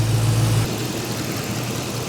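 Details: LS-swapped squarebody service truck started after work and left running to check the coolant gauge adapter: catches and settles into a steady, even low idle with no knocks, misses or ticks, sounding healthy.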